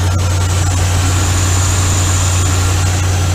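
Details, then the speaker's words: 2015 Ram 3500 5.7 Hemi after repair: smooth even V8 idle, no misfire. The cylinder 5 misfire was not a spark issue but rodents chewing the injector harness connector, which was rewired. "I'll wire that up quick here plug it in and see how it works all right so she's really good now no misfire"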